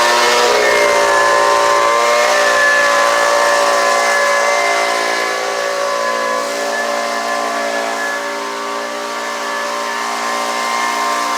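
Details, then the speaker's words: Homelite UT09520 two-stroke trimmer after carburetor replacement, warmed up: steady high buzz sagging slightly in pitch but even and unbroken; runs cleanly, owner thinks a little tuning would help it wind out. "so now that's pretty good to me uh it seems like it could use a little tuning to wind it out just a little bit more"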